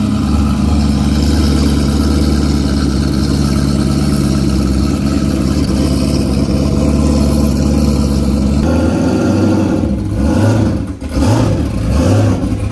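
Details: Built motor in a newly bought race car; heavy lumpy rumble rising with revs, uneven chuffing beat, smokes like a tractor; running rough, cause not found.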